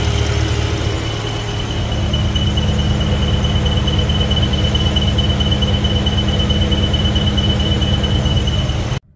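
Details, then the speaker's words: BMW E70 X5M, S63 V8 at idle: steady high squeal/chirp from underneath like a slipping belt, actually excess crankcase vacuum sucking air past the front main seal; oil cap hard to remove, PCV/catch-can setup to address. "if you could hear the the squealing or chirping type noise from underneath the car uh it sounds like as if the belt is slipping but it's not actually the belt it's actually the crankcase sucking in air through the front main seal"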